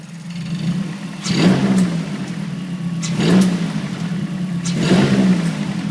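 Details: 2008 Mazdaspeed3 petrol engine blipped three times, a raspy rattle rising over the hum on each rev, seemingly from the valve cover; owner rules out injectors; cause suspected, not confirmed.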